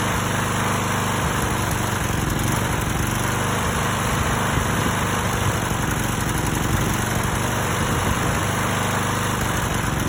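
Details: Stiga Pro 48 mower with Briggs & Stratton engine, fitted with a new tank, air filter and spark plug, carburettor cleaned and rebuilt with a kit: irregular chugging with occasional stumbles, still misfiring, cause unknown.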